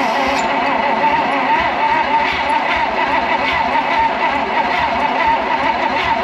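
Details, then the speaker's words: Abandoned, partially disassembled 1956 Oldsmobile 88 after sitting in a shed, fuel poured in, spark present; starter churns steadily in an even rhythm but it never fires; owner suspects very low compression, unconfirmed. "not happy but uh we don't have enough compression I don't think kind of sounds like it wants to but man that sounds like it's got some super low"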